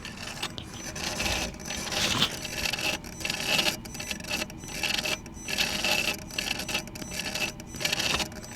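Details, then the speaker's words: Mercedes G-Wagon while a forced transmission adaptation is attempted with a scan tool. A raspy scraping grind swells and fades about every second over a faint hum; the throttle body is making horrible noises, cause unconfirmed. "That's the throttle body. It's making horrible noises. That doesn't sound good."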